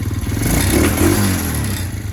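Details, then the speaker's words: Small Chinese two-stroke quad, sat in a barn at least three years, 2-stroke oil added through plug hole: fires up and idles with quick steady low putter and light rattle, running evenly; normal idle. "Maybe I'll throw the starter solenoid on real quick and start this up for you. Boom. Listen to this thing purr."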